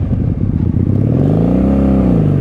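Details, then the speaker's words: 1997 Honda Magna VF750C, previously wrecked and sitting a while, refuelled and ridden down the road; smooth, even V4 rumble building cleanly as the bike pulls away with no knocks or rattles, engine healthy. "still sounds good."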